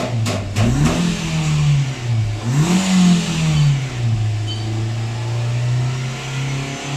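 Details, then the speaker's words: 2014-15 Nissan Sunny after intake and catalytic system flush fixed poor revving: engine climbs cleanly through smooth throttle blips and settles to steady idle, no misfire or stumble. "अब गाड़ी अल्हम्दुलिल्लाह आप देख सकते हैं बराबर race ले रही है इतना कुछ प्रॉब्लम नहीं ए रहा है"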